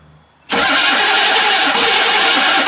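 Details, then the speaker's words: 1982 Chevrolet K5 Blazer, after solenoid was hammered to free it: starter cranks harshly about two seconds without catching; solenoid or connections suspected weak; starter cranking. "stop all right so I mean you heard it there solenoid might be weak the connections might be weak but we are getting that to work"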